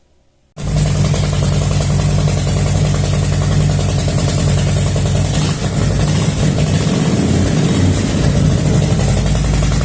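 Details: Motorcycle after a sensor was replaced: engine catches and holds a steady, even idle for ten seconds without dipping or cutting out; problem resolved, normal idle.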